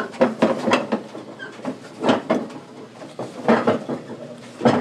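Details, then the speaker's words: Washing machine on spin cycle loaded only with cloth diapers: irregular heavy thumps and clunks about every second from the back, like a rock in the drum; belts and springs look fine; owner suspects a pulley or bearing. "it just sounds like there's a rock in there that sounds maybe that's a bearing or something in the back"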